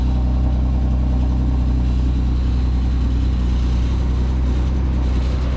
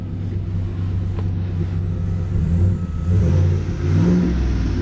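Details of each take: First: Nissan 370Z Nismo at a dealer auction: right after start the engine settles into a heavy, uneven low drone with a rough undertone; abnormal start-up noise, cause not found. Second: 2017 Chevy single-cab short-bed V8 pickup, 15,000 miles, full MagnaFlow or Flowmaster exhaust: deep throaty rumble swelling and falling as throttle is blipped, smooth and even, no knocks or misses.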